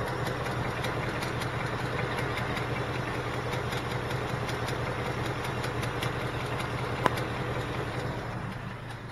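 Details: 2018 Ford Mustang GT just fired up: a fresh-start idle with a light, fairly quick ticking over the engine hum, steady but not perfectly even. The source of the tick is unclear.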